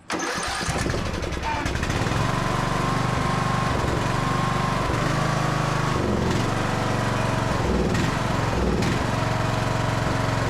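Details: Craftsman DLT3000 riding mower with a Briggs and Stratton engine that would not start, fuel tank flushed and fresh fuel added: engine catches within a second, then holds a steady, even beat through throttle changes; normal running.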